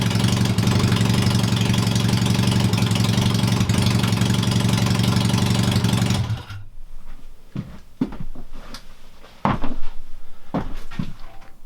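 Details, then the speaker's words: Honda CB250 scrambler build, first engine start-up, carburetor jetting not yet done, loud open exhaust; even deep idle for six seconds then switched off, runs smoothly without missing, just too loud. "she runs and not that bad considering I've not done the jet or anything on I'm really pleased with that"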